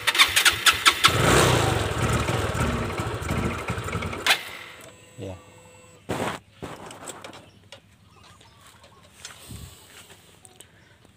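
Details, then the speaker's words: Fuel-injected scooter that is hard to start and dies when throttle is released: catches roughly on throttle, runs ragged for seconds, then cuts out; fuel pump pressure or throttle body/injector suspected. "karena ini diputar gasnya dia agak susah hidup tapi masih bisa hidup ini masih bisa hidup"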